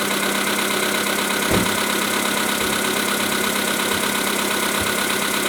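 Petrol engine idling with a light, uneven tapping under a steady hiss, plus an occasional sharper knock; knock at idle.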